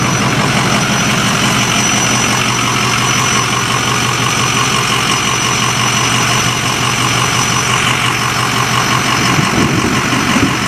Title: Squealing noise 2